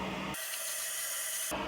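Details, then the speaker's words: Newly installed replacement toilet fill valve, flow set to full then adjusted down: a sharp water hiss runs about a second then drops away as the float rises and the valve shuts off, with no leaks. Normal fill valve shut-off. "I can hear it going now, it's reducing, it's doing its job. And no leaks, and all's well."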